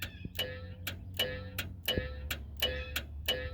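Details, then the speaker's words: Abandoned one-owner 1972 Ford F350, big block, 4-speed, with a suspected electrical issue. Sharp, uneven clicks about 1.5 per second with a faint ring when the part is touched; owner suspects a relay: relay clicking. "And you can feel it in our um something either a relay or whatever that is."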